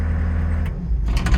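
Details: Customer's diesel started after a bad battery cable was replaced: fires and settles into a steady, even low rumble with no misses or knocks; running normally after repair.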